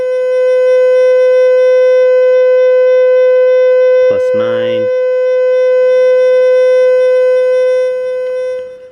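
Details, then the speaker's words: Fisher F75+ metal detector indoors with EMI from Wi-Fi nearby, threshold turned up: loud, constant mid-pitched hum that never wavers; threshold set too high, should sit at 0 to +1 as a faint hum. "Threshold, we can get that hum going here."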